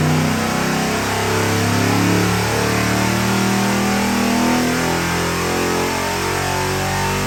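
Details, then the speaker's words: 675 hp 7.3 L Godzilla V8 crate engine for a '69 Ford Mustang on a new dyno, break-in run: strong deep V8 running evenly with a loping, choppy cam beat; steady and healthy, no knocks. "This thing runs absolutely fabulous and it's got a real nice chop to it."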